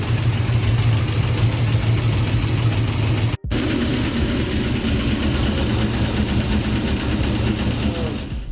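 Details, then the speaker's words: 6.0 V8 swapped truck with BTR Truck Norris cam: loud, heavy idle with hard, fast tapping riding over it, mistaken for rod knock, but caused by a failed lifter. "I asked BTR I sent the video to BTR and the first thing he thought it was was literally rod knock it was so loud after about a month of driving the truck with the noise uh it just started aggravating me way too much"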